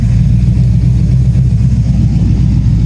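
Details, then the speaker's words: Freshly assembled 6.0 LQ4 LS V8 with truck cam and DynoVox exhaust in AWD OBS GMC Sierra, just started in cold weather, tune still needs work: deep even rumble rising and falling with throttle, no knocks; normal revving. "Truck sounds good though."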